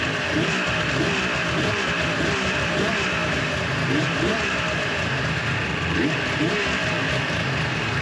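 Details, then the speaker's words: 2004 Viper two-stroke with 8,000 miles, after exhaust manifold repair and variable exhaust valve cleaning: buzz climbs quickly through revs and drops back cleanly, no bogging or misfire; revs faster and cleaner, healthy. "Okay, so the Viper is back together now. It overall, I'd have to say, is much snappier. It revs out faster and cleaner."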